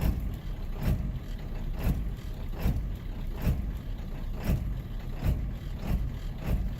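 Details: Ford 7.3L diesel on cold startup, warning light goes out: uneven idle with a deep lumpy pulse and loping surges a bit over once a second; smooths after some throttle, cause unclear.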